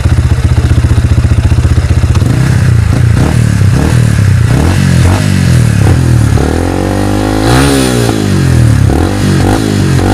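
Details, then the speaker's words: Yamaha Vixion after piston and cylinder block replaced (oil loss from leaking clutch cover gasket caused piston-to-bore clearance and rough noise): steady even idle, then clean throttle blips without knocks or rattles; normal revving. "Kini setelah kita ganti seher dan bloknya, suaranya kembali seperti motor fiction baru. Oke. Akan kita coba dulu sedikit main-mainkan gasnya."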